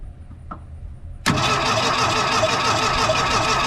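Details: 1980 Mustang hatchback parked since 1991, cranked by jumping the starter solenoid with a screwdriver; even, brisk cranking with strong compression pulses but no firing; owner suspects no spark.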